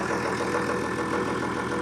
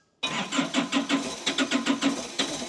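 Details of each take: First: John Deere 6600 diesel tractor in for an injector leak fix holds a steady, even idle with a smooth unbroken rhythm, no misses or knocks; a stack pipe leak at the top of number one injector is then found. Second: Diesel with injectors cracked for bleeding: cranking pulses then catches and settles to a slightly uneven idle, tone changing as lots of air bubbles out of the second injector; air in fuel system.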